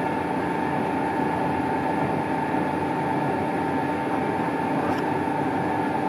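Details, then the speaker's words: Lathe chatter while cutting on a Colchester Triumph 2000 without a fixed steady: a steady ringing tone near a thousand cycles rides over the cutting hiss, vibration leaving a horrible finish; a five-thou skim is planned to clean it up. "yeah if you could hear the vibration going on I don't know if we can see that"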